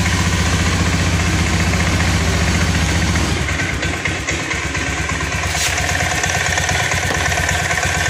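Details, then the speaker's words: Honda Scoopy ESP FI automatic sputtering after tank cleaning, on external fuel supply at normal pressure, EOT sensor connected, no MIL blinking; idles but sags and stumbles on throttle, won't rev; clogged injector suspected. "Baiklah teman-teman, di sini motor tetap masih ngempos, tidak mau digas Pak ya, menyala namun hanya stasioner Pak."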